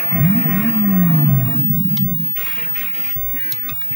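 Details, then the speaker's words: Double Dragon JAMMA arcade board that had no sound, after replacing an LS138 chip: music returns, and a clean swooping tone followed by short bleeps (coin-up sound) shows the digital sound effects working correctly. "let's check our digital sounds okay coin up sound is working now it looks great yeah"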